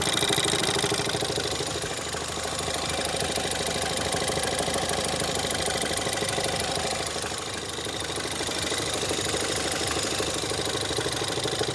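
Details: Ford Fiesta ST 180 EcoBoost under warranty at idle: deep, fairly regular knocking about three beats a second, steady throughout and unchanged with clutch pressed or released; Ford claims release bearing, owner suspects bearing damage, cause unconfirmed.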